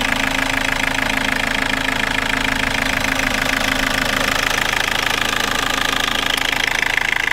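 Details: 2004 Toyota Corolla 2.0 D-4D diesel at warm idle: a steady, even clatter of sharp ticks. It is audible at low rpm and gone above about 1500 rpm. Injectors don't seem noisy. The OBD engine light was reset by disconnecting the battery and hasn't returned. Cause of the knock is unknown.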